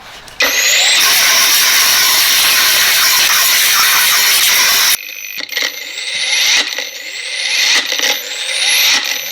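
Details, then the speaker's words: Fake Makita 18V brushless angle grinder on a Makita battery after a big cut drained it: steady high whine, then motor drops out and winds back up about once a second; attributed to the battery's low-voltage protection shutting it down. "so before before i was wrong that was all the inbuilt smarts of the makita battery itself saying hey i'm getting too low shutter down not spinning out"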